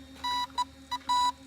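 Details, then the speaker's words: Dual-ESC RC car after full-throttle run with weird grinding and misbehaviour: long high beep, two short chirps, another long beep; unfamiliar ESC warning code, two ESCs may beep at different times, body must come off to read ESC lights. "well you got to keep in mind there's two ESC and they're going to try and be codes at different times gotcha in which case we got to take the body off and look at the light on the ESC to determine the actual beat codes"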